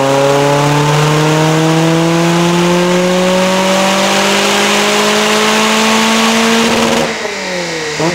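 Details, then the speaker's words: Lotus Elise 250 Cup on the dyno during an ECU Master plug-and-play mapping session, full-throttle pull then lift-off: a loud, breathy, hissing exhaust edge suggests a restrictive exhaust line. The silencer is suspected but not confirmed. "T'entends que la ligne elle est restrictive parce que ça souffle."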